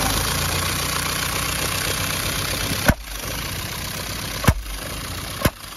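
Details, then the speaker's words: Audi 80 1.8 mono started after reseating the loose central coil lead: uneven idle broken by three sharp pops as it stumbles. The mechanic suspects the ignition timing is wrong; not confirmed. "Отырып тұруына қарағанда что-то угол опряжения зажигание дұрыс емес. Мұнысы зажигание дұрыс емес сияқты."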